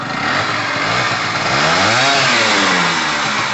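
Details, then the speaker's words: Gilera DNA 125 two-stroke scooter revving after long storage, running rich premix: crisp, ringing two-stroke note that climbs smoothly with the throttle and drops back cleanly, with no misfire or knock. Normal two-stroke revving. "yes i love a two-stroke sound brilliant i reckon this is a quick little bike as well"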